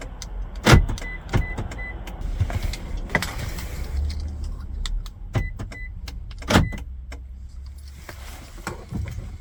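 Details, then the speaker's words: 2007–2018 Toyota Avalon after programming an additional aftermarket key fob: sharp lock actuator clunks followed by the hum of the window motors after each button press; remote operating locks and windows properly. "here we can see it's working and it's all good to go repeat the steps if you have more keys to program"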